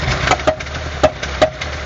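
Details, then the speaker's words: Year-2000 1.6-litre petrol engine, hard starting with very unstable idle: sharp irregular clacks popping back through the intake a few per second; suspected leaking intake valve, checked with a vacuum gauge on the manifold. "Parfois on a des, là on les entend, des claquements au niveau de l'admission. Suspecter ici une soupape d'admission qui n'est pas étanche,"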